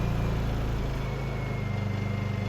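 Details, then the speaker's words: Honda EU2000i generator after valve lash adjustment and reassembly, just started after several pulls with choke dropped: smooth even idle drone with steady pulse, no misses or clatter; rattle heard is from the workbench; normal idle. "the engine sounds good there's something rattling inside the workbench all the indications here look good"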